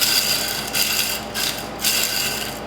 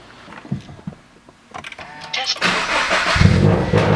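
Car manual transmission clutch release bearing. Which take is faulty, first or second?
first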